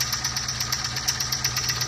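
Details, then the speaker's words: 1999-2004 Mustang 4.6 V8, 77,000 original miles, idling about 800 rpm: quick, even light rattle about four to five per second over the engine note, heard at timing cover; likely bad timing chain tensioner, otherwise running well. "and the motor sounds like it's just a timing chain tensioner and it's actually running good"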